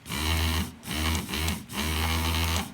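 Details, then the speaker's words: Land Rover Freelander 1 window regulator after adding a washer: motor whirs in half-second bursts with a rough buzzy edge, slightly quieter than before. Washer likely too thick. "It is making a a bit of noise, but a bit less noise."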